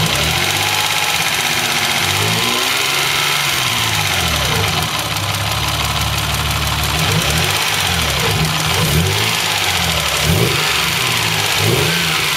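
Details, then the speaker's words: Mazda 626 with KLZE V6, factory weak valve springs, slightly loose timing belt tensioner, at idle: light quick tick from the back of the engine, like a lifter tick; owner attributes it to a cracked valve spring retainer. "all right y'all can hear the ticking you know that my friends is a cracked valve spring retainer"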